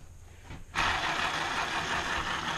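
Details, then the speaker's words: Land Rover Freelander 1 propshaft removed, bearing spun by hand: a dry, gritty rasp holding steady as it spins; this propshaft support bearing is shot and needs replacing, unlike the quiet other one. "ain't in very good condition. That is shot to pieces, that bearing. So that one needs replacing."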